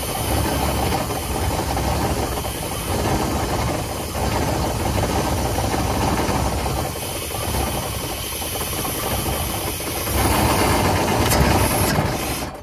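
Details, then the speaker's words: 1989 GMC Sierra C1500 with small-block 350 V8, bought at auction, doing a will-it-run: engine surges on hand-fed fuel with a loud rattling whir from the front; fan sounds bad, cause unknown; throttle body was stuck. "I mean I the fan TR it actually doesn't sound good"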